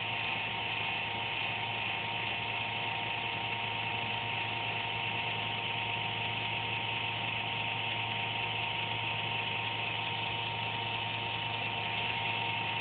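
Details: Computer making a random buzz once or twice daily with no performance impact: a steady high-pitched buzz at one constant pitch, no rhythm or speed change; the owner suspects the fan, unconfirmed.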